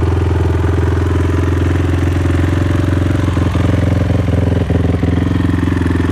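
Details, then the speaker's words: Honda TRX450ER ATV after failed coil replaced, new kill switch and stator: starts on a light tap and holds a strong, even, quick single-cylinder thumping idle with no misses or cutting out; no-start issue fixed. "all you do is tap you ain't gotta hit it hard just tap it starting up"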